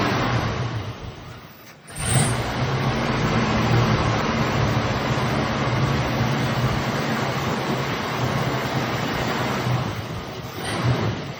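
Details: 1965 or 1966 Mustang with a 289, long stored, now with an Edelbrock carburetor, restarted after three pumps of gas: after a brief catch it settles into a steady, even low rumble with a smooth idle and no knocks or misses.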